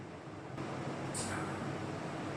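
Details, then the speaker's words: Old Carlton air conditioner whose compressor would not kick in, after cleaning: a steady low hum steps up as the compressor cuts in, then runs smooth and even with no knocks; compressor running normally and cooling. "Yay, did you hear that? Compressor just kicked in. Get in, it's getting cold."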